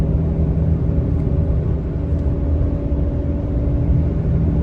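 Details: Ram 2500 on Kenda Klever RT tires at 28k miles, accelerating to about 72–75 mph: deep steady drone with low hum over road roar; tires noisier as they have worn, still plenty of tread left.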